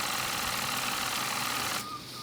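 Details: Nevadent water jet flosser (Lidl) on jet setting, compared against soft and normal modes: fast hissing spray with thin pulsing whine underneath, steady rhythm; pump pulsing normally.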